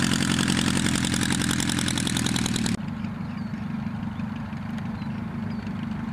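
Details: Piet aircraft engine after rebuild, test flight (max rpm 2525 or better, carb heat 50+ rpm drop): steady even beat, then drops sharply to a quieter, smooth idle with no stumbling; sounds healthy, normal idle.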